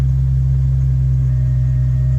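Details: 1997 Jeep Cherokee, 4.0L, 315,000 miles, clutch fan removed, check engine light on: steady fast idle with no dip; high idle from a vacuum leak.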